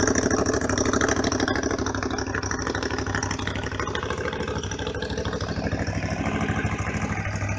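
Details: Honda VFR 750 RC24, late-1980s, cold after sitting overnight, on manual choke: smooth even fast idle with steady rapid pulse, no knocks or misses; runs very correctly.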